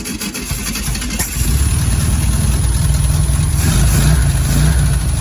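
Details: 1965 VW Beetle that sat long in a garage, after tapping a suspected stuck carburetor float: cranks briefly, catches, settles into steady even air-cooled chatter at idle with no misses; normal idle.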